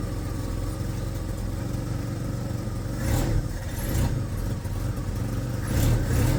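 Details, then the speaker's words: First-generation Ford Ranger, very high-mileage four-cylinder with an oversized cam and an exhaust leak, just lowered: uneven, loping idle with throttle blips and exhaust puffing; lumpy idle from the oversized cam. "so ignore the exhaust leak and just listen to the wonderful lump of a four-cylinder with too big of a cam for the million miles that are on that motor wonderful right"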